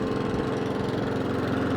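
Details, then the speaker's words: Mountfield SP454 lawn mower petrol engine after carb clean; fault was in the slow running idle circuit. Smooth, even beat with no rise and fall in speed, no hunting or surging; idle slightly low, to be adjusted up. "So slow idle circuit. It's not hunting and surging at the moment."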